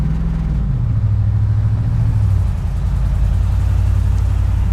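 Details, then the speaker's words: 1998 GMC Sierra, 13,341 miles, supercharged (14 psi boost at 4,000 rpm), on the road: deep, even drone at steady cruise with no blower whine on top; engine and blower normal, though transmission hunts for gears under some loads. "The first thing I noticed is it's got a blower on it. I don't hear it at all."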